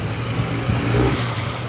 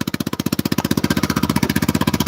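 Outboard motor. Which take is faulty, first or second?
first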